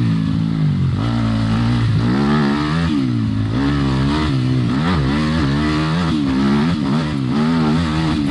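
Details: Yamaha dirt bike after triple clamp steering bearing replacement, on a trail ride; single-cylinder engine revs up and down cleanly with throttle, no knocks or rattles — running healthy.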